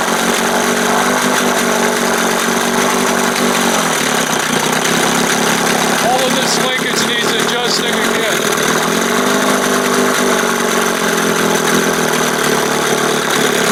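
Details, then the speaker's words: 1971 Johnson 20 hp two-stroke outboard after carb swap: steady, fast buzz that never settles; idle too high because throttle linkage opens before the two cam marks, with play and slop in it, needs readjusting. "again damn and it's way up before the two marks so just as I start to roll it right there it starts to open as it gets between the two marks"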